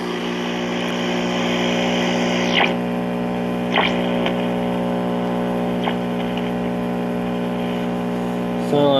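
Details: 1952 Trav-ler Model 5171 AA5 AM tube radio, before recap: loud, steady low hum with only a faint station trying to break through; mains hum from failing filter capacitors.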